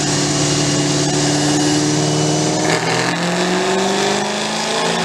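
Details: Cammed V8 after a top-end rebuild with Torquer v2 cam, new lifters and longer pushrods, stage 2, near 500 whp: it screams up through the revs under load, steady and clean with no ticking or clatter; healthy pull.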